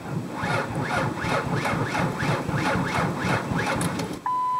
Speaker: just won't start now I think you could hear that my battery definitely sounds low